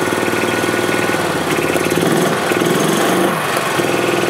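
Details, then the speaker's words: 2007 Club Car Precedent gas golf cart engine after fuel pump/gas-in-oil repair; uneven chugging, picking up and dropping off on pedal; governor out of adjustment, throttle opens before engine starts, prone to backfiring and jerky starts. "so this governor is a bit out of adjustment that's why you're hearing its start and stop like that because I'm giving a pedal but the throttle is actually open before the engine starts"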